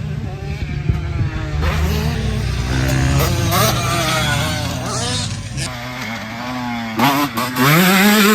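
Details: 2006 Honda CR125R after full ground-up rebuild, new OEM top end: crisp buzzy two-stroke note rising and falling with throttle blips, catching cleanly and pulling smoothly; healthy.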